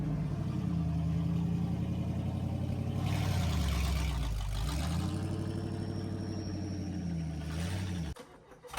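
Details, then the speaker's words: 1963 Chevy C10 during restoration, driving after repair: engine pulls cleanly with no rhythmic knock following road speed; the earlier knocking was a wheel bearing, now greased and fixed. "So, as you can see, we drove around a little bit. The knocking noise is gone. So pumped for that. That it was just a wheel bearing."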